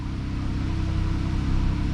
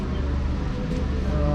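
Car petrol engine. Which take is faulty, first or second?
first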